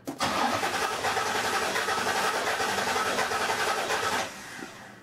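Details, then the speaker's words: Starter cranking with spark plug removed from cylinder two, amp-probe relative compression test on lab scope; lopsided beat, one stroke lighter each turn, current spike drops where that cylinder draws no current, showing low compression in one cylinder. "okay so obviously this is the area that the spark plug is missing from and I pulled cylinder to be number two not that it really matters right now but if you look here this spike goes way down right because it's not drawing any current"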